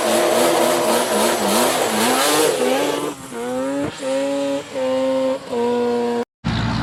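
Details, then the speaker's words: Yamaha Banshee two-stroke after fixing clogged carburetor jets (it previously ran then died, leaked fuel, wouldn't restart): crisp short blips rise and fall cleanly with throttle, no bogging or stumbling; pulls fine. "i made it run good and everything so guys if you like what you're seeing please leave a like i fixed the issues it was just the two plug jets"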